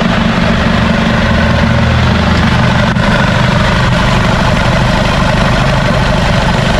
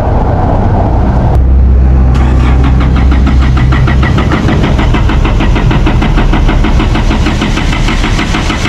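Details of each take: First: Isuzu D-Max 4GH1 diesel, converted from semi-electronic to mechanical injection, idling after a new injection pump was fitted to fix hard starting. A steady, even low throb with no stumbles or dropouts; normal idle. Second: Isuzu D-Max 4GH1 diesel, converted from semi-electronic to mechanical injection, before repair; it also has white smoke and a rough idle with the aircon on, and sometimes won't start at all. The starter grinds for about ten seconds before the engine reluctantly catches; hard start.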